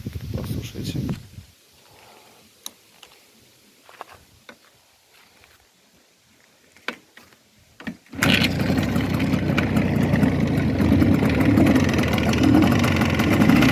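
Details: 12-volt Jawa 638 motorcycle with new pistons and cylinders bored to fourth oversize: steady knock about four per second at idle after starting; owner suspects the central bearing, not confirmed.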